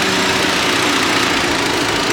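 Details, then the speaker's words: Volvo at hot idle (~400 rpm, after holding 1300 rpm) during a BG EPR engine treatment, before the oil drain: a fast, light ticking persists over an even, hissy engine note; cause not pinned down. "Tickwise is still there."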